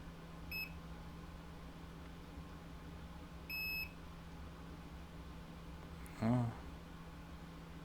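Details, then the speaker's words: Original Xbox One with no power: two short high beeps about three seconds apart, then a click and thump as it tries to power on and drops out. "I had a light come on okay that's weird throw it it's trying to turn on but it's not going to work"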